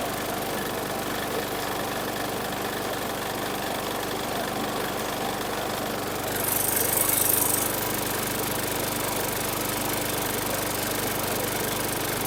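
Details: 2019 Murray push mower, 4.5 hp Briggs & Stratton 450E engine, ticking over evenly with a steady patter, no stumbling or dying; runs normally after a tight, dragging safety brake cable was found behind the no-start.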